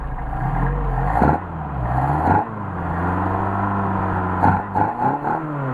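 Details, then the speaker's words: Mercedes 190SL rebuilt Solex carburetors after linkage adjustment: throttle blips then idle recovers quickly and evenly to about 600 rpm; good response and recovery, normal idle. "check our idle ah my machine it's cold and back to about 600 on the idle so we got good recovery good response and then good recovery"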